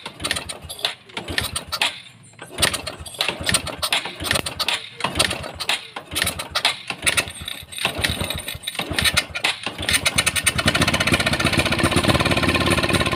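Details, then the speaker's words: Honda Supra X 125 carburettor single, hard starting; ignition and fuel supply checked normal. Uneven sputtering catches and dies when throttled, then rough, coarse running; the carburettor main jet had come loose from its seat. "Sekarang kita bongkar karburator karena mesinnya tidak mau hidup, mari kita periksa."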